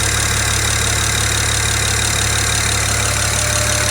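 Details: BMW 335i warming up at idle, hood partly closed: a quick, light tick of a couple per second over the engine hum, getting quieter as it warms; traced to an excessively loud number 6 fuel injector.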